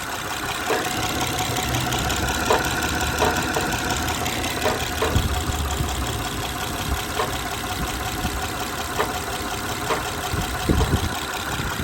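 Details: 2011 Honda Odyssey 3.5L at idle: irregular hollow clunks and rattles come and go and sound like a rod knock, but the cause is a loose catalytic converter substrate.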